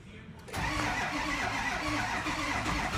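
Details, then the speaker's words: Ford 6.0 diesel crank no start: steady cranking with rapid injector clatter, never catches; ICP nears 2,000 while cranking, IPR stays at 50%, sync present, main power doesn't drop; cause unknown. "I check sync main power IPR and I'm the ICP and IPR and try to crank it as you can see you hear the clatter and all the injectors another victim is running"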